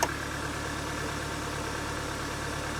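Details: Mercedes W203 petrol engine after relay clicking was fixed: steady, even idle with low smooth drone and no ticking or misses; runs much more nicely than last time.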